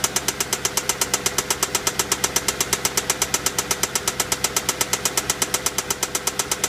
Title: Vw passat w8 problem engine knocking